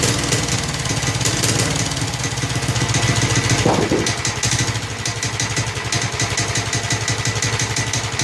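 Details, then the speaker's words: Snapper Hi-Vac commercial mower, around 1988, with Robin/Wisconsin engine, running after carburetor fiddling: steady, even single-cylinder chug, no misses or knocks; motor sounds good when running correctly, though carburetor leaks and needs a kit. "The motor sounds good when it's running correctly."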